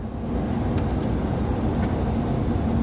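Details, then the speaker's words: Oldsmobile 98 idling with the heater fan on, after cycling the tempmatic climate control through heater before defrost: steady low rush of the blower with no vacuum-leak hiss from behind the dash. "see that i cycled the heater before i cycled to defrost and now the leak is gone and you turn the fan on"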